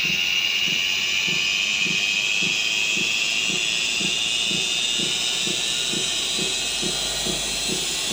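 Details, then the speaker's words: BH Fitness T8 treadmill with a Turdan DC drive motor: a high electrical whine rising in pitch as the treadmill ramps up from about speed five, caused by bad motor bearings; the motor is likely to fail. "But this is definitely a surefire way to tell that there's something wrong with your motor. There's a pretty good chance it's probably going to go out."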